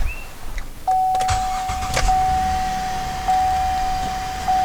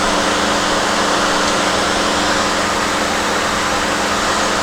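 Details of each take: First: 2007 GMC Acadia, 248,000 miles, A/C weak, R-134a suspected leaking from service ports: at idle the compressor clutch clicks on and off about every second, short cycling with the charge clearly way low. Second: 2007 GMC Acadia, 248,000 miles, after charge port valves replaced, system evacuated and recharged with about 1 kg R-134a: steady blower and compressor hum, no cycling or squeal, 50-degree vent air; normal A/C operation.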